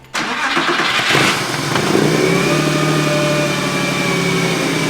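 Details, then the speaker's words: Porsche 911 on first start after its engine was pulled and refitted. It had earlier revved to the max from a sticking throttle cable, so the throttle was held closed. It catches at once, flares, then settles into a smooth, even run with no knocks. Normal running. "Well, that's good though. Dude, it ran fine. >> No, it didn't sound bad at all."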